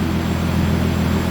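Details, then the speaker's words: BMW E30 with forged turbo M50, fuel surge tank install: ear-piercingly loud thin high whine over loud engine rumble from the pump inside the stock tank, caused by hard-mounting the fuel pump with a metal zip tie. "That whine is so loud. That's the one from inside the stock tank. It's definitely because I hard mounted the fuel pump with that metal zip tie."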